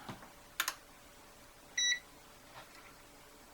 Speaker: it's still beeping it's almost done well that is weird like i said i don't know what the problem is with it